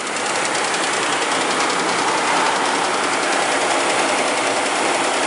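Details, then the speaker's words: 2004 Mercury Mountaineer 4.6 V8, which had earlier had new timing chain guides, just after a cold start: a dry, fast, uneven ticky rattle from the front of the engine over idle. The loose timing chain is slapping the aluminum cover or valve cover. "Now you hear that? That is coming from the front of the engine. It's the chain bouncing around, hitting either the aluminum cover or the top of the valve cover."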